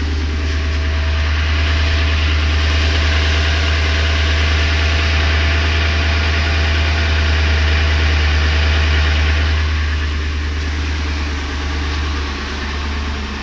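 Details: 2004 Ford Expedition Eddie Bauer, 5.4 L 2-valve V8 at idle: steady even knock about three per second over the low rumble; owner suspects piston slap, same noise on another Expedition, unconfirmed.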